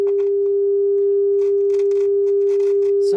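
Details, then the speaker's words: Luxman R-1030 stereo with a test tone through the auxiliary input: irregular crackling static bursts as the potentiometer is turned; dirty, scratchy pot needing cleaning. "Now, you'll hear some static when I adjust this pot"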